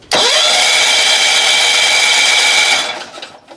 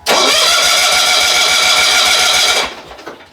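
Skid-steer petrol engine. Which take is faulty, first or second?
second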